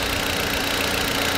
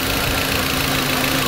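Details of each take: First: 2004 VW Beetle 1.8 turbo after repairing a vacuum leak that caused rough idle and hard brake pedal; even, steady idle with no stumble, hunting, hiss or misses; engine running smoothly, brakes restored. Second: 2004 VW Beetle 1.8 Turbo, cold engine at idle: uneven, slightly hissy idle with a lumpy beat from a vacuum leak at the brake booster line, causing rough idle and a hard brake pedal with no brakes.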